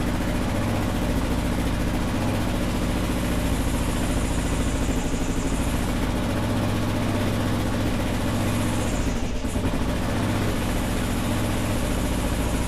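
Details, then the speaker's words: 2001 Kawasaki KLR650 single that sat 4 years, just revived with new battery, spark plug and carburetor cleaning: steady, even thumping warm-up idle for over ten seconds with no misses or knocks, little squeak; running normally. "Sweet deal. We'll let it warm up a little bit. Sounds okay. Sounds like a KLR. It's got that little squeak."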